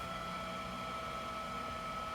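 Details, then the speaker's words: Kingroon KLP1 3D printer mainboard cooling fan spinning at 100%, loud steady airy rush with high whine; power supply fan now quiet after lubrication; fan to be capped at 80% and temperature-regulated. "і зараз в нас ввімкнеться оцей котрий охолоджує головну плату там треба буде теж підрегулювати його швидкість по температурі процесору відео Я вже знімав залишу в описі ну цей вже турбореактивна"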